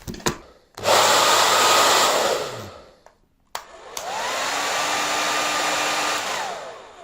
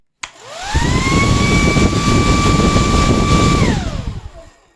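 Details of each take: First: Sembo hair dryer, fault fixed during disassembly: an even, strong rush of air rising and falling smoothly as the motor spins up and down, carrying heat away from the heating element; normal running. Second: Sembo hair dryer as it arrived for repair: the motor winds up to a thin, weak steady whine for about three seconds, then coasts down; low airflow makes the heating element run very hot and melt parts, and the motor is suspected faulty.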